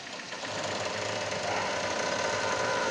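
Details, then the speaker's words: Kia Cerato 1.6 16v, front right suspension: rapid uneven knocking as the steering is turned; previous shop replaced the shock absorber kit without fixing it, the noise comes only from a worn stabilizer link, which was then removed. "esse barulho é proveniente apenas da bieleta trocar o kit do amortecedor dizendo que o cliente ia resolver e não resolveu"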